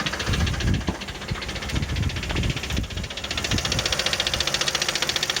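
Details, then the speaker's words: Toyota 1MZ-FE V6 at idle, knock appeared at first start after spark plug change, injector seal replacement and throttle cleaning; one cylinder had heavy carbon from a dead coil: sharp regular knock near three per second, seemingly from top of engine; source unknown. "Внизу, конечно, тоже все слышно отлично, но где-то сверху."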